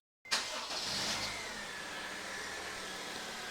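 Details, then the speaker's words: 2007 Honda FR-V 1.8 petrol after changing all four spark plugs: fires on first turn and settles into smooth, even idle, no stumble or misfire. Normal start and idle. "that sounds smooth runs quite nice"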